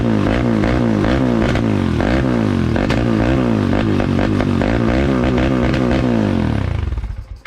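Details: 2003 Polaris Predator single-cylinder after reassembly with new fuel line, filter and plug: fires and runs lumpy with uneven beats, then stumbles and dies; super rich, owner unsure whether it needs a float adjustment.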